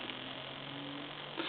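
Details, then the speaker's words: Coca-Cola animated polar bear telephone, receiver picked up at initial checkout: steady low pulsating electrical hum and buzz in the earpiece, no dial tone, no dialing, no transmit; line circuit faulty, cause not yet traced. "just makes a real funny electrical noise and kind of a pulsating electrical noise and i'm going to try to dial and i'm not getting any kind of a any kind of a dial out of it and i don't get any tone and i don't get any transmit"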